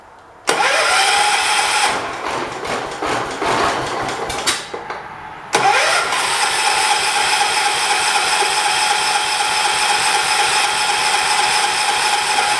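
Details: 1985 John Deere 212 tractor that sat six months with five-month-old gas mixed with diesel. After a dose of starting fluid, the starter churns in two long bursts with a steady whine and rattle but never catches. Spark is later confirmed good; the carb is suspected.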